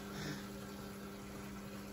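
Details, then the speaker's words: Hotpoint Aquarius WMA48 washing machine starting a program: faint steady low hum with a gurgle near the start; drain pump is running but owner suspects ice still in the pump. "Okay, well, at least you know the pump's working, but obviously it's got ice in it then."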